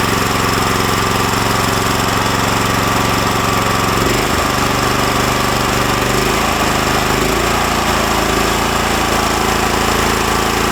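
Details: New Lifan LF390QE Pro (heavy duty, GX390-type) petrol engine on a flail mower, rubber-mounted, started on choke with booster pack on a cold day: loud rapid steady single-cylinder bark settling as revs shift, no knocks or misses; runs smoothly.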